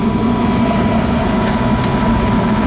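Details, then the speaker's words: Newer 90+ efficiency gas furnace that kept shutting off, after clearing backed-up condensate (thermostat jumped out): steady low roar and constant hum, no surging or cutting out; normal furnace running. "It's running good now, guy. I mean, it's not shutting off. It's running. It's running decent now."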